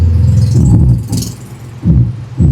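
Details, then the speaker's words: Kevler GX7000 integrated amplifier into a speaker, with heavy bass bursts crackly and broken up; distorted, low output. "Ngayon ang pinaka-issue kung bakit dinala rito 'to ay garalgal yung tunog niya. Okay, garalgal yung tunog niya."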